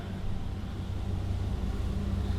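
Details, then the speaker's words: 2014 inboard surf boat engine, flooded Copart rebuild after engine flushes, running on water: even deep rumble with steady beat, no misses, running cleanly. "sounds so good oh yeah"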